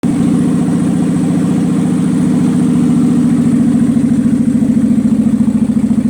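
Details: 2003 Kawasaki Vulcan 800 Classic V-twin just started cold on full choke, after oil change and Seafoam in fuel: uneven lumpy idle with sharp slaps in the intake, a misfire popping back through the carburetor against the air filter, with smoke.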